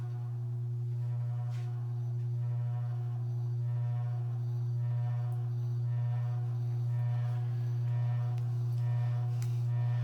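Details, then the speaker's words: Circa-1985 Evergo 4E-6EALW 52-inch hugger ceiling fan, cast-iron 3-speed reversible motor, running; deep steady hum with a slow pulsing throb and heavy vibration, far louder than usual, likely because its rubber isolation bushings rotted away with age; owner calls the vibration normal for this motor. "this thing has a very ridiculous vibration to it when I'm runs and it's not an issue however it's actually normal nature of this particular motor to dis vibrate like this"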